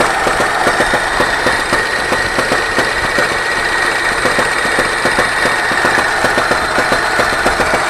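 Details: Engine 24D at steady idle with a hard, regular knock about two and a half times a second riding over it; engine knock, cause not pinned down.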